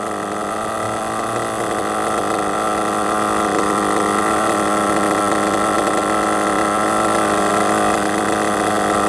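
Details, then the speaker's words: RC truggy nitro engine after needle tuning, high-speed leaned in; steady screaming run like a two-stroke power band then shooting off, no sputter: well tuned. "You might have heard it then, it sounded a bit like a power band on like a 2-stroke dirt bike, didn't it? But it kind of went and then it just shot off."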